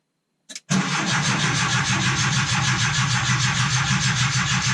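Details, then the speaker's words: 1980 air-cooled Volkswagen Westfalia (automatic) with a Porsche 911 starter fitted: brief crank, then the engine catches at once and runs steadily; normal healthy start. "oh yeah now that's what I'm talking about we can make it run with that"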